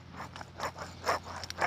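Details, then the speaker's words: Old hub bearing removed from a 2007 Ford Ranger with over 250k miles, spun by hand: gritty, ratcheting crunch in uneven pulses each turn, no grease left; the replacement bearing is stiff and full of grease. "that's just there's no grease left in that"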